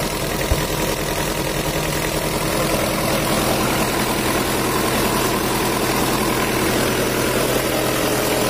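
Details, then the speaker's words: Rebuilt Mitsubishi Strada Triton 4D56T turbo diesel after an overheat seizure and scored liners, with the intake manifold hose temporarily refitted so the turbo boosts: steady even idle with smooth clatter, no hiss or knock; normal idle. "udah ini suaranya Udah halus karena selang dari intake manifold tubuhnya udah kita pasang meskipun untuk sementara biar turbonya menekan dan suaranya jadi halus"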